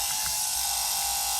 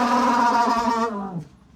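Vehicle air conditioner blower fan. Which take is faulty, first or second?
second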